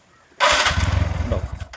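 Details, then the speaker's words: TVS Ntorq 125 BS4 scooter with hard morning starting and an auto choke not working, self-started with the engine temperature sensor wire unplugged: short crank, then it catches with quick uneven low pulses; points to the temperature sensor. "ഈ സെൻസറിൽ നിന്ന് wire ഊരി വിട്ടു ഇനി ഇത് work ചെയ്യണം self അടിക്കുമ്പോ self അടിച്ചു നോക്കാം"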